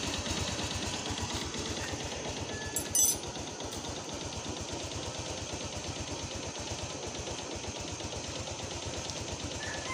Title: maingay na makina ng motor. piston slap lang yan watch before and after video